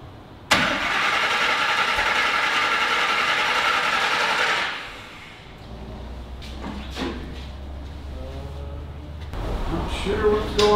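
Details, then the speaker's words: Griz, a wrecker: about four seconds of fast, steady cranking, with 35 lb oil pressure and the fuel pump on, that never catches, sounding like it is trying to backfire. Crank-no-start from coils wired in the wrong firing order. "on here like the yeah sound like it was trying to backfire"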